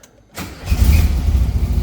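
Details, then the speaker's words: 1978 VW Super Beetle after removing unused wiring: silence, brief crank, then the engine catches cleanly and settles into a steady, even low idle; oil pressure light goes out, working oil pressure sender. Normal start. "And it goes out. Okay. So that's fixed. We have oil pressure."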